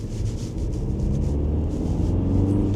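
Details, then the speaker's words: Audi A4 diesel on a road test after failing its MOT, engine light on: deep steady drone pulling evenly under acceleration with turbo boosting, no knocks or misses; engine, clutch and gearbox sound healthy, separate near-side front suspension knock. "But the engine seems strong. Clutch is good. Gearbox seems fine. It's smooth."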